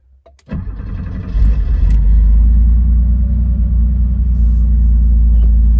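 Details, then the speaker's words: Porsche flat-six, cold start from inside the car with the engine still cold. Quick crank, then it catches and settles into a steady, even low rumble at fast cold idle, with no misses or knocks; a healthy start. "Déjà il y a un joli bruit et on se sent bien."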